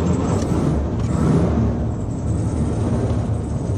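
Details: Air-cooled flat-four VW Beetle restarting after cooling a few hours (it had been dying when hot): steady, low, even rumble with no stumbling or hunting; it starts and idles normally.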